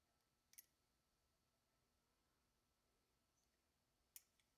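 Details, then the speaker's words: 2007 Honda Element relay, one of several bench-tested with a 9-volt battery while tracing false codes P0498 and P0135: a single crisp click as it closes and resistance drops to zero, so this relay is probably good. "relay is given that definitive single click sound and going straight to zero so it's probably a good one"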